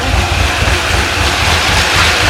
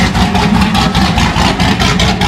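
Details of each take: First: C6 Corvette Z06 with 441 LSX, started after a heads and cam install once the dry fuel system pressurized: lumpy shaking idle with a light tick under the exhaust rumble, quieter than before; cylinder 8 has a bent exhaust valve. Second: C6 Corvette Z06 with 441 LSX, running after a heads and cam install with coolant topped up and oily headers smoking: loud steady lumpy idle, even pulse, no knocks or ticks; engine sounds healthy.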